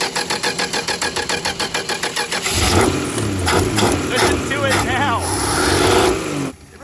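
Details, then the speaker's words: 1962 Dodge Lancer six-cylinder after carburetor overhaul, stuck choke just freed: even cranking catches, then revs rise unevenly and sag; still no accelerator pump shot; stumble on throttle from weak accelerator pump. "holy crap I think that was it oh still no accelerator pump"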